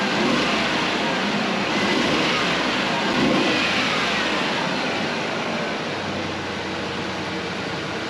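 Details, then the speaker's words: 1996 Ford Ranger 3.0L V6 warming up, gas age unknown: steady even idle, constant hiss and drone, misfire smoothed out; lots of soot from exhaust, likely the cylinder fouled by the faulty injector. "I'm gonna go ahead and let this warm up, and then I gotta get the oil changed, a few other things. I think it's smoothed out."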